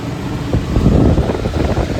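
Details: Exhaust hood fan after a motor replacement, with rotation swapped to counterclockwise, bearings cleaned and greased, and the welded contactor replaced: a steady air rush and even motor hum with no squeal or rubbing. The fan is running normally.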